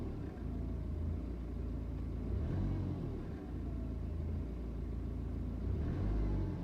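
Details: BMW 320d N47 diesel at idle: clattering idle with uneven stumbling beat, speed sagging and recovering, idle jumps when coming back down; blue smoke and strong smell on cold start; misfiring, hunting idle, cause not confirmed.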